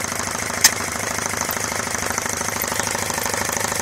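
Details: Homemade belt-driven compressor on 240 V switch, starting up after belt fix (tension still needing adjustment) and redone intake with small filter, said to spin about 1070 rpm: fast, even chugging about two beats a second, no knocks or squeal; running normally.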